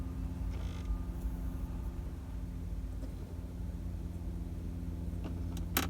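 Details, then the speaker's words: Toyota Corolla Verso creak from behind the dash: short dry creaks over steady engine and fan hum, reproduced by changing the temperature setting up and down, traced to the heater blend door motor (actuator); first suspected clutch pedal or steering column. "There we go. That's the noise that I'm hearing whilst driving, a creaking noise. But you can hear it creaking away there, can't you?"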